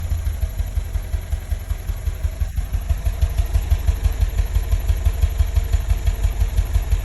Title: MR2 noise when idle